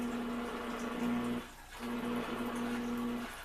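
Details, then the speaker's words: Rare vintage Motorola 62T1 tabletop radio, first power-up with a filter capacitor disconnected and the on/off switch possibly bad: steady low hum with faint hiss and crackly static; capacitor coupling problems suspected. "sounds like somehow maybe some coupling there might be it problem with the capacitors which I'm sure there is but at least it's fired up"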